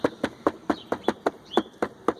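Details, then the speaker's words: Honda Pop 110 with 2,700 km, revised at Honda: sharp, even clicks about four times a second over light engine rumble, like something loose inside the instrument panel; fairings all secure, cause unclear. "Só que é como se fosse um barulho de alguma coisa solta dentro do painel. Tá ouvindo, ó? E é um barulho que incomoda bastante, cara, né?"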